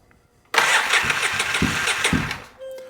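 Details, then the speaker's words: Polaris Sportsman 700 ATV after a new starter and Bendix, battery suspected weak: heavy, uneven cranking pulses about twice a second with a rough extra clatter under the starter whir before it catches; unusual cranking noise, source unknown. "the starter does sound better I don't know what that noise is there we go I think the starter sounds better"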